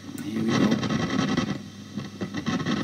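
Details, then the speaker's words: Vox AC30 C2 tube guitar amp (four EL84s, three ECC83s) at switch-on: loud, irregular crackling and popping over a low hum. Tube sockets or tubes suspected; the preamp valves tested okay. "that oh yeah really noisy crackling it might be the tube sockets it might be the troops that's something that we have to find out now"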